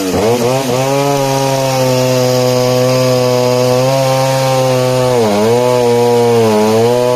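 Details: 1960s Stihl 08S/07S two-stroke chainsaw, 21" bar, 0.404" chain, cutting: even howl dips briefly as the chain bites, then holds revs through the cut; normal running under load.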